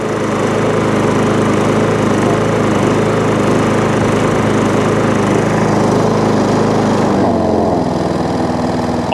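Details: MTD push mower, after the too-thick packed foam air filter was replaced with a new air filter. It settles into a smooth, even idle with a steady beat and no hunting or surging; it is running as it should.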